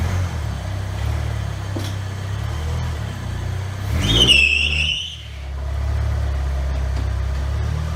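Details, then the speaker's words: 1990 Mustang stripped of every panel for a lightweight car, engine started before the first test drive: steady even idle with one clean rev around four seconds that settles smoothly back, no knocks or ticks; healthy normal engine running. "That works. Sounds really good. Sounds healthy. No knock, no nothing."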